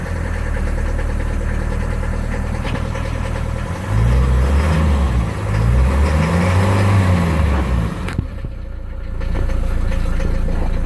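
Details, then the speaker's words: 1977 Mercedes 240D diesel cold start on third glow cycle, accelerator floored, idle adjuster fully up: cranks, catches and clatters into lumpy uneven idle about four beats a second; glow plugs and injectors still to be replaced. "Okay, getting ready to do a cold start on the Mercedes 240D 1977 third glow cycle. Foot will be all the way down the accelerator, and let's go."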